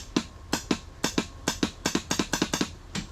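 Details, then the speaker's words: 1989 Yamaha Warrior 350 four-stroke ATV, long stored in a pole barn, in neutral, run switch on, clutch squeezed: repeated sharp clicks, three or four a second in uneven bursts, no cranking; click-no-crank, owner thinks it sounds like the solenoid. "Alright, I'm going to give it a go. Oh. Sounds like a solenoid."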